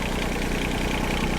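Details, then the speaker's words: Chinese mini excavator diesel just restarted after a fuel pump replacement at 36.8 hours: hard, uneven clatter at idle with a lumpy, shaking beat; rough idle, owner suspects air in the fuel lines, not confirmed. "she's shaking hard but there's probably just some air in the lines"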